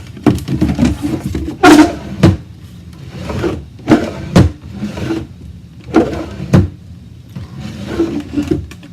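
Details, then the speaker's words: Old wooden drawer after track cleaning and candle-waxing the rails: slides better but still scrapes in and out and bangs at each end, a raised, separating joint rubbing. "better but it still has a problem so look at next steps for making it not stick"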